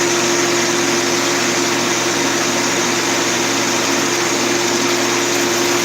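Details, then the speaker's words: Woodworking shop machine at constant speed: a steady high whine with a gritty hiss over the motor hum, from worn bearings that need replacing. "Man, I gotta replace the bearings in this thing. You hear it, I hear it."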